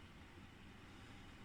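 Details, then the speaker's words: Ebac 660 dehumidifier with a brand-new replacement fan motor, case screwed back together: a quiet, steady low whoosh of air with no rubbing, ticking or bearing whine. It is healthy straight out of the box, as the fan should always have sounded. "to be honest, but this is healthy straight out of the box, which is quite comforting because that really just sort of goes to show what the fan should have sounded like right from the beginning."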